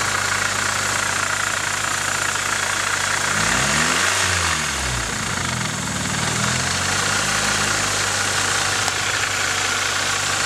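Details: Nissan 240SX KA24DE four-cylinder at idle: an uneven rattly ticking around three or four times a second over the hum; owner suspects timing chain noise, not confirmed.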